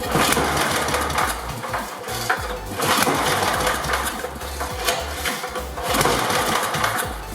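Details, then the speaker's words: 1988 Briggs & Stratton 8 hp Sno-Guard engine on the bench, first start attempts on choke after the fuel was turned on and the bowl filled: it fires in uneven bursts about once a second but won't keep running. Owner suspects the mixture is completely off. "Seems like the mixture is just completely off, so let me just..."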